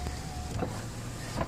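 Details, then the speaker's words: 2011 Dodge Caravan SE mobility van, 231k miles, power windows checked: short smooth window motor hum during travel with a soft thunk at each end; window motor sounds healthy. "I want to show you all the power windows, power mirrors. We've checked over all these things. Everything seems to work just fine."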